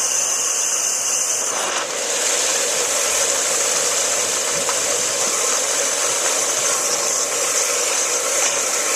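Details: Challenger 1.5 hp pool pump after shaft seal and bearing seal replacement to cure a leak: even, steady high-pitched hiss and whir with no knocks or grinding; running smoothly and pulling water normally.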